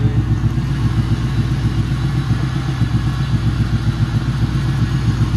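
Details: 1995 Ford Thunderbird LX with sudden power loss, some cylinders not firing, water found in spark plug holes: loud idle with uneven lumpy beat and clattery stumble about every quarter second; misfire at idle.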